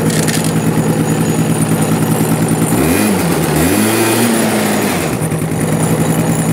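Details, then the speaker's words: Cobra Chinese quad, freshly cleaned carburetor, starts on one kick (electric starter weak); small single idles at a steady quick patter about three beats a second without stalling or missing, running halfway decent; normal idle. "but as you can hear and see it's a one kick wonder it seems to run halfway decent"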